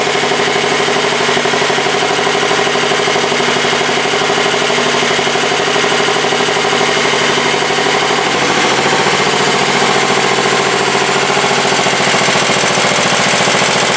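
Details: 1967 Sears Suburban 10 garden tractor, first start after repairs: loud, even engine drone whose pitch shifts about eight seconds in as revs change, steady with no knock; owner then checks charging and coil draw, finding low battery voltage.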